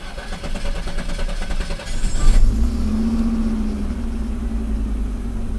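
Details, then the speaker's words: Pre-1990 Audi 90 after engine repair, restarted: cranks, catches and settles to a steady smooth low idle with no hunting; the intermittent idle control motor is working. "time the idle motor is working fine again Sometimes it works fine Sometimes it doesn't work properly. If it works properly, it should be around eight to nine hundred RPM."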